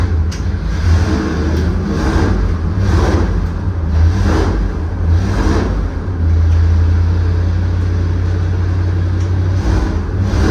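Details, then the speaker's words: Freshly rebuilt Ford FE 390 V8 for a 1967 F100 with Aces EFI, on engine dyno under load: deep V8 rising and dropping cleanly, no knocks, rattles or misses; normal running. "See, he loads the machine down right there with his right hand to put the load on it."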